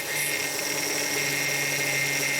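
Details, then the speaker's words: 2004 Hyundai Sonata 2.7 L: steady high whine under the hood while the steering wheel is turned, loud in both directions, with fluid bubbling in the reservoir; the power steering pump is defective and needs replacing. "all right guys so that's it i hope you heard that this power steering pump is bad we gotta replace it"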